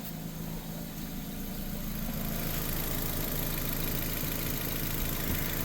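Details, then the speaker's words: 2006 Nissan Sentra 1.8 L warming up while the cooling system is burped after a water pump replacement, block near 200°F: steady idle with a faint, fairly regular light tap on top; source of the tap unclear. "Right at 200 almost. Come on, baby. Starting to sound like it's tapping now."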